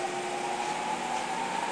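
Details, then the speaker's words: Orii 6600 lb LCC-06HB4HAX-EAX servo press feed line, main reel motor switched to forward: steady, even mid-pitched hum with no knocking, rubbing or surging; normal running. "That starts the motor."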